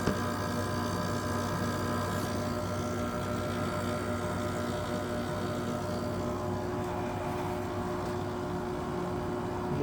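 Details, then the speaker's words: 1999 Whirlpool 5000 BTU window air conditioner ACM052XH1, old and beaten, possibly low on charge and slow to cool: steady loud drone with several fixed tones, harsh LG compressor; loud compressor noise. "it's not really worth anything at this point it's so old and beaten up there's the angry LG compressor there"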